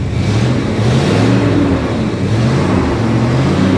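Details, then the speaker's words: 1966 Ford Country Sedan V8, just revived after about 20 years, revved from the cabin: rough, steady low rumble with no squeal. The water pump, despite sitting dry so long, makes no noise; heavy exhaust smell inside the cabin. "not too bad and actually the water pump's not making any noise I would have expected that thing to be squeaking like crazy because it's been sitting dry for so long"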